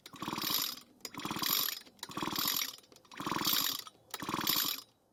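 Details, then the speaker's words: Echo SRM 230 trimmer, original ignition coil after cleaning rust from its grounding points: five recoil pulls about a second apart, each a ratcheting whirr with no firing; hairline-cracked coil gives no spark. "So unfortunately, it looks as though we're out of luck with the original one, which doesn't surprise me considering there is a hairline crack in it."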